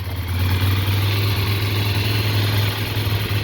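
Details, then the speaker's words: Stock-exhaust idle of a 2009 Ducati Monster 696 before a Two Brothers exhaust, K&N filter and Power Commander install: even, steady twin idle with soft muted note, no knocks or misses; sounds like a quiet Ducati; normal idle. "Sounds good. Sounds like a quiet Ducati. That's about it."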